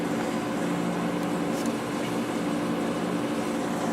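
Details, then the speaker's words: Whirlpool Accudry 40-pint dehumidifier, late-1990s or early-2000s, reciprocating compressor, on low fan drawing about 6.2 amps: soft even hum, compressor a little noisy at first then quieting down, gentle airflow, no rattles; normal running. "this one has a real nice sounding compressor in it little noisy at first but it quiet it down"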